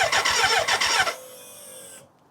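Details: BMW K100 motorcycle, first start attempt after a fuel tank overhaul with new internals, fresh fuel and the battery reinstalled: rapid, even starter cranking for about a second, then a steady high whine from the fuel pump running.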